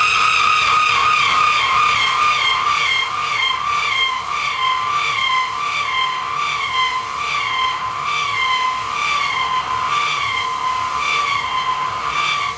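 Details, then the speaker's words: Half-inch roughing end mill plunging and interpolating a half-inch pre-ream hole for a 0.7505 reamer, with about 270 degrees of tool engagement on the first pass. Loud, harsh screech swells and fades about four times a second. End mill chatter. "So I know the beginning of that sounded pretty horrendous, but that's because when it's plunging in to a half inch hole, there's so much engagement as it makes that first pass, you know, something like 270 degrees of the tool is engaged."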